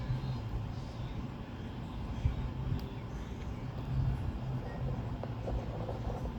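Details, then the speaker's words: LG 8,000 BTU room air conditioner, old unit removed from the wall years ago, on highest fan setting: low steady compressor buzz under the fan's airy rush, even and unchanging, heard just as the compressor kicks on; normal running. "Hear that buzzing? Okay, this is the loudest little sound, guys. It just kicked on. It's in full."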